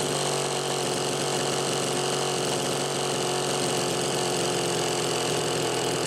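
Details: Super XL Automatic chainsaw, reported smelling hot, on ethanol-free TruFuel, almost warmed up: constant high two-stroke buzz holding steady without surging or dropping off, no throttle lag; runs evenly, healthy.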